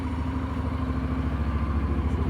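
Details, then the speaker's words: Honda NC750X DCT twin, not run for a few days, fresh oil, recorded up close to the engine: low steady even idle pulse, valves quiet, no ticking or knocking; healthy normal idle. "bardzo ładnie chodzi Proszę posłuchać przyłożę do silnika cichutko zaworów nie słychać"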